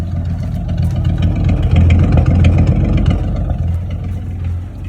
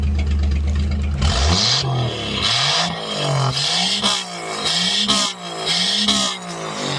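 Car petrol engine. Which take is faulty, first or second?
second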